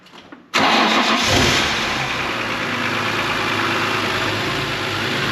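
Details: BMW E46 M3, first startup after installing a Turner Motorsport CSL carbon airbox with MAP sensor conversion and modified ECU: quick crank, then it catches cleanly into an even, smooth idle with no misses or knocks. Normal start.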